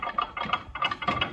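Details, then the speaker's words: Old vehicle that sat outside for 20+ years: engine running with rapid uneven tinny clatter about three times a second over a thin engine note; rattling, cause not yet found, dial indicator check planned. "So, keep in mind this old uh jalapy here has been sitting or had been sitting before I got a hold of for 20 plus years outside and it was covered for the first few years. As uh you can hear she's quite rattly."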